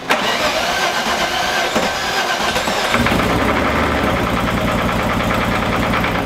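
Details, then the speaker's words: Engine after timing was corrected: cranks briefly, catches, then settles into an uneven, lumpy, stumbling idle with an inconsistent mechanical noise; owner suspects valves damaged in earlier start attempts or a missing sensor, unconfirmed. "It sounds kind of the same. I mean, it started faster-ish, but. What do you think? It's not running smooth."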